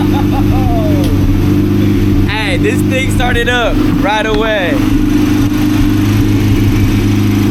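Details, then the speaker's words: Honda CRX B-series engine at its first start after a new flywheel was installed: it settles into a steady, even idle with no knocking, clunking or rattling, with a brief whoop over the top. The motor was saved; healthy idle. "We saved the motor. There is no weird clunking, rattling, no weird noises, bro, whatsoever."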